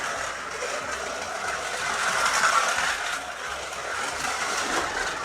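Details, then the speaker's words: Scalextric Ford Anglia 105e Broadspeed slot car, magnet out, no other modifications: fast uneven rattling chatter over a thin high motor whir, because the hard, out-of-round tyres hop on the track while the wheels try to spin up. "I mean, it's loud. You can certainly hear that the tyres are not round and are a bit hard because it's chattering on the track and the wheels are trying to spin up."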